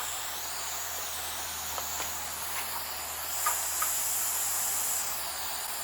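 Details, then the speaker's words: 1993 TIG/stick welder after replacing the HV arc-starting impulse transformer, live test on aluminum: steady high hiss with few small crackles; arc starts and holds stable, almost burned through. "real well. As a matter of fact, I almost burned through it."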